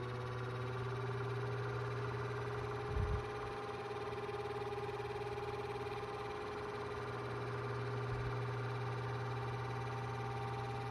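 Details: 2002 Cool Breeze 12-inch oscillating desk fan after 20 years of heavy use: hum with thin steady unrelenting squeal while running; motor bearings completely shot, couldn't be oiled due to stripped screws.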